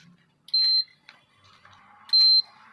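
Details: Induction cooker (E3 sensor/E4 fan error issue) switched on before running at 3200 W: two short, clear high beeps as panel is set; normal start-up response.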